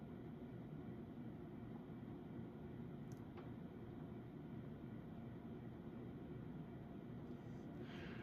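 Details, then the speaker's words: Early-1980s CEC-made Moss Heirloom Olympus 52-inch ceiling fan on high, about 165 RPM (motor rated 250 RPM): a quiet, steady whirr with a faint low motor buzz and no ticking or grinding. Bearings healthy; normal running. "Bearings on the fan are still in good shape. Motor still has a slight buzz to it, but definitely not as bad as when the variable speed is engaged."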